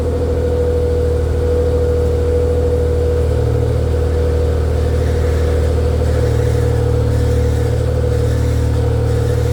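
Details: Nissan Z31 300ZX after rear diff stud repair and starter replacement, not run in a couple weeks: engine settles into a steady, even idle with a smooth low rumble and no knocks or misses; running healthy.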